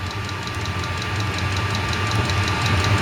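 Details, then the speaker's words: Chinese 8 kW diesel heater from eBay in a 10x10 ft workshop, exhaust routed out through the tin wall, set at 21°C and running at high output: steady burner roar, smooth fan hum, regular pump ticks; new exhaust pipe probably burning off production oils; normal healthy running. "it's probably heating up that exhaust pipe burning off the oils from production it's really kicking up the notches on there"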